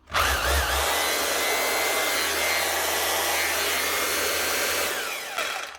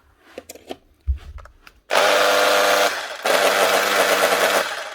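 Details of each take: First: Makita HR2611F SDS drill from 2012, after replacing its burnt-out armature with a second-hand one from an HR2610: spins up to a steady, even high whine with no rattle, then winds down cleanly. The motor sounds healthy. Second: Makita HR2611F SDS drill burnt out boring 16mm holes in reinforced concrete: runs in rough, harsh bursts with strained buzzing instead of clean spin; burnt armature, needs replacement (fixed with HR2610 parts).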